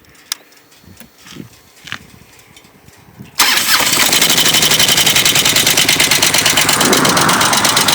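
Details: 2004 Harley Ultra V-twin idling with a sharp, steady ticking knock over the exhaust; recurring problem, owner suspects lifter or compensator nut, cause unconfirmed.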